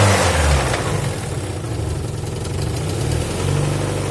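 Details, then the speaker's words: Alfa Romeo 166 2.0 TS petrol engine, oil at full level, idling then revved: loose irregular knocking that quickens with revs, like a loose nut or something rattling inside per observer. Engine knocking, cause unknown. "लगता है जिस तरह कोई चीज टूटी हुई नहीं, नट शट पड़ा होता है अंदर। हाँ वही लग रहा है जिस तरह कोई चीज़ लगी हुई है।"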